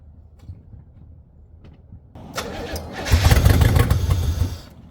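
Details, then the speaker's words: 1985 Pontiac Firebird Trans Am first start after sitting, fresh premium fuel: cranks, catches and blats loud and raspy, pedal near floor at about half throttle, wants to die when released; rough running with manifold/exhaust leak. "so I was able to keep it running I had the my pedal almost the floor and it was running about half throttle the whole time as soon as I let off the gas it pretty much want to die"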